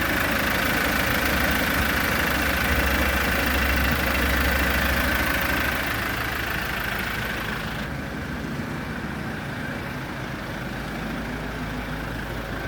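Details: Kia Bongo engine after full overhaul (new pistons, rings, bearings) following 2-3 years sitting: even, regular idle with a steady tone settling quieter after a few seconds, no knocking; normal running.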